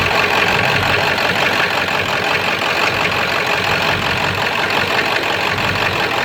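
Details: 7.3 diesel rough runner with no power, after high idle and street mode, going to bypass: lumpy uneven rattle with no clean beat, owner says sounds like rod knocking; raw-diesel puffing smoke, EGTs good, owner stumped.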